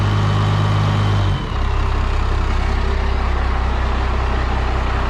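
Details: 5.9L Cummins diesel from an abandoned Dodge, running on old fuel: deep steady diesel clatter with a faint rising whistle over it; the turbo spools up smoothly and sounds healthy.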